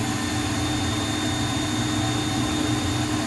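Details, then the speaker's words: Juma 110 escalator cleaning machine, auto start with another worker's vacuum plugged into the same outlet: only steady motor hum with faint high tone, no brush scrubbing; brushes not engaging because the machine needs 20 amps and power is being drawn away. "Your brushes are not being engaged. That's because he's drawing power from your machine. This machine requires 20 amps to operate."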